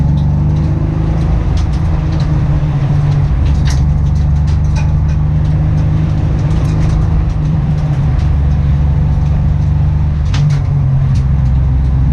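Deep steady idle with occasional uneven stumbles and ticks breaking the beat; sounds like the engine is missing on a cylinder.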